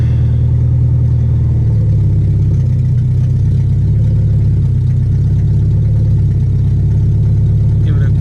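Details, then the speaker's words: Nissan B14 with SR20VE engine after the tri-Y header's four bolts came loose and it fell: very loud, deep, blatting exhaust drone swelling on a quick rev, running open header. "I want to show you guys how it sounds like let's see yeah because yeah it's pretty loud sr20 ve Charlie why opinator kinda want to drive it I don't want to rev it though because it's loud"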